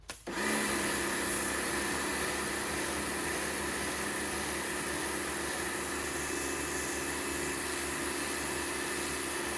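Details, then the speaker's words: Karcher K2 pressure washer after swapping in the motor from a K2 Compact (water pump end was faulty), first test with water connected; starts cleanly into steady even high whir, no leaks or grinding; normal running. "So we've got water coming through. Let's try turning it on. Sounds good."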